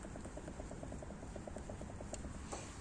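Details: Citroën C4 Grand Picasso, front end raised with the wheel rocked back and forth: quick, light knocks about nine a second, transmitted to the strut and spring. The struts are new; the mechanic suspects a loose hub nut.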